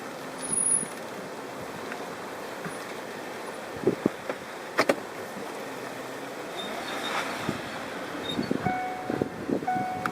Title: BUCCI BRAKE NOISE-SQUEAK.